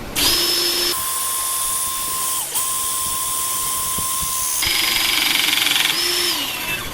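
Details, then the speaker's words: Pinchen HL-400B cordless hydraulic crimping tool after oil leak cleanup: motor whines steadily under load through the crimp stroke, brief dip, then clean automatic return; crimp good, pump working, though likely low on oil. "Sau khi cắt, bạn có thể tự động quay lại Không sao đâu Hiệu ứng kẹp khá tốt"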